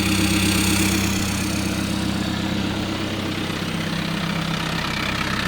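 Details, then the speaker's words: Diesel TDI with DKM stage two single mass flywheel at idle, heard from outside near the gearbox: clutch pedal in, then released, giving a steady low gearbox rattle, about three beats a second; typical, only at idle, not harmful per assurances. "so this is what the clutch pedal in and then when I let out you can hear the gearbox rattle very typical"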